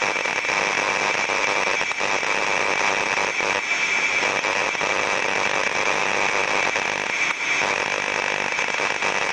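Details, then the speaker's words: Electrical distribution cabinet with no moving parts, ultrasound contact method on cabinet body before access: steady unvarying crackling hiss with irregular harsh bursts, small 50 Hz harmonics, non-uniform waveform; electrical discharge (arcing or tracking). "so as we can hear from that sound it doesn't vary it doesn't sound very normal it sounds very abnormal for something that has no moving parts inside"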